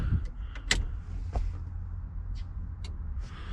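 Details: Turbo LSVTEC Honda CRX converted to OBD1, key on: brief electric whir under low hum with a few clicks; normal fuel pump prime, check engine lights on, car may have no gas.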